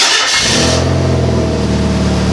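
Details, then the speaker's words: 1989–91 Mazda Miata 1.6 NA petrol four-cylinder, after sitting two years and basic maintenance: cranks, catches and settles into fast idle with faint puffing tick from a slight exhaust leak. "As you can tell, we've got a slight exhaust leak. That's one issue we're going to tackle in a future episode."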